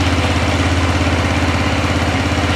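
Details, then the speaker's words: Arctic Cat 400 ATV single-cylinder after new updated flywheel rotor fixed sudden no-spark; even steady thumping settling back to idle, no misses or knocks: normal idle. "right well off cool now starting to idle back down a little bit there we go motor sounds good everything sounds really good on it"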